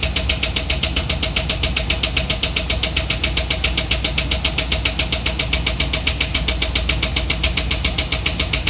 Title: Does anyone know what it means when a truck is making this sound? coming from a catalytic converter?